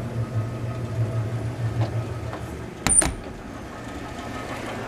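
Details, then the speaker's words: 1931 Frigidaire refrigerator compressor after install, line flush and leak test, drawing about 340 watts in a hot room, float still needing adjustment: low steady hum with one soft clack; runs evenly, refrigerating, quiet and healthy. "So yeah, I'm delighted to hear it run and see it run. It's very unobtrusive with the noise."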